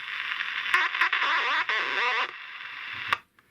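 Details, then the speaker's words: 1966 Convair S Russian transistor radio with capacitors replaced: harsh warbling, crackly audio with dropouts and pops from the speaker; distortion persists, suspected dry solder joint in the audio stage. "so perhaps i've got a joint problem i don't know so so dodgy soldier joint or something but um i know it's in the audio"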